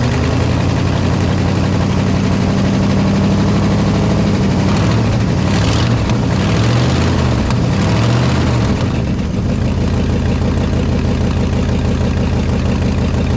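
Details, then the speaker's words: 1969 Ford F-100 FE V8, running after sitting: loose, uneven idle that dips and surges, with a raspy puff on each firing from a giant exhaust manifold leak, typical of FE engines; headers planned as the fix. "And of course it has, just like any other FE, a giant exhaust leak over here. But that's what they make headers for, y'all."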